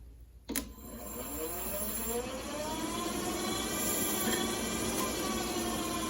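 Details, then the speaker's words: VW Beetle 6V generator, off the car after new brushes and bearings, being polarized and spun as a motor: a click, then an even hum climbing in pitch and settling to a steady spin with no rubbing. It runs smoothly as a motor. "now ready to polarize it make sure it spins as it should and it does"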